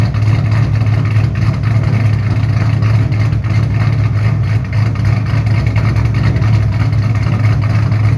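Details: 2007 Shelby GT500 supercharged V8 with newly installed L&M NSR camshafts, Venomous Tuning tune: loud, deep, choppy rumble loping unevenly but holding steady at idle. Normal cammed idle.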